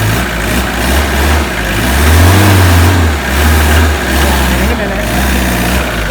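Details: Tata Sumo direct-injection diesel cold start after long standing, injectors bled of air: catches and settles into a steady, even low rumble, smooth idle, no knocks or stumbles; running normally.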